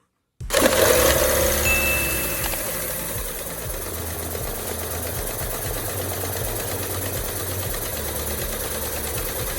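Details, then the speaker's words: 1999 Hyundai Elantra after a DIY timing belt change: fires right up and holds a steady, even idle with a light valve patter and no knocking. Normal idle. "Alright, now we're going to start it up one last time, and we're going to let it idle for probably about an hour and let it clear itself out."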